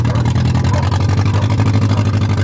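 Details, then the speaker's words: 1993 Toyota Tercel outside: loud, lumpy low drone with an uneven chuff in each pulse, sounding like one cylinder dropping out; suspected misfire, cause unconfirmed; transmission also slipping, low fluid suspected. "Sounds like it's running on three cylinders today, doesn't it?"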